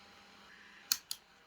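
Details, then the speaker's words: 12V 150W car air heater run from a 220V-to-12V, 10A adapter on the cold-air fan setting: quiet, steady airy hiss with a couple of sharp clicks, the fan spinning evenly, nothing wrong. "It's connected. Fan, that's the cold air. It sounds like that."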